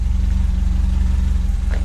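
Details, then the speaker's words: Renault 8 with a swapped-in 1397cc C2J engine, points ignition, Renault 8S carburettor, tubular manifold and custom exhaust: even, steady low putter with regular firing pulses and no knocks or misses; normal idle. "not sure how much you can hear sounds good to me"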